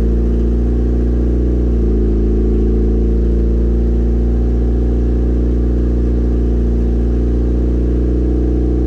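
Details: Built turbo 1.6 Mazda Miata after maintenance, warming up at idle: smooth, deep idle with a slight blip near two seconds, then steady, even hum; normal warm-up idle.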